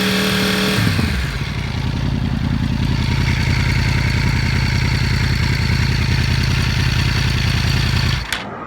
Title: R1 Enging noise at idle, 3k, and 5k RPM.